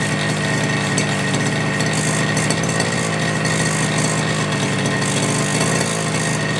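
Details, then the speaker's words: FG Marder petrol RC car, small two-stroke, run the day before, started without choke after a couple of primes, after front-end bolt fix and brake/throttle linkage adjustment: raspy, lively even run with small throttle blips, no stumbling; crisp, healthy normal running. "I'd say that's bloody quality I don't re you can get better than that I reckon that's absolutely mint"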